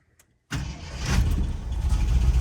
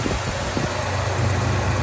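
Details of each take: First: 1975 Jeep Wagoneer V8, sat nearly a decade, just fired up to test the transmission: rough, uneven idle with a stumbling beat, still not hitting on all cylinders. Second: 1975 Jeep Wagoneer, sitting nearly a decade: engine idles smoothly and steadily, power steering pump whirring, fuel pump working, no knocks or misses; sounds healthy.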